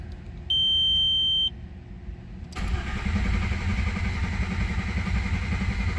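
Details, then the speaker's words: Rebuilt VR6 freshly installed, fuel pump fuse out, oil pressure gauge wired in: single chime then strong, even cranking without knocks or grinding; oil pressure shoots to 30 then holds about 18 while cranking. "Shoots up to 30 and then holds about 18 cranking. That's good. I'd say we got oil."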